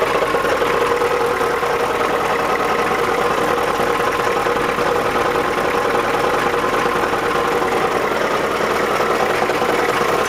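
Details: 1987 Ford F250 7.3 diesel idling: constant gritty grind over the clatter, worst at idle and gone by about 1500 rpm; occasional clunk when cranking, flexplate and torque converter bolts tight, starter fine, no metal shavings. Cause unknown.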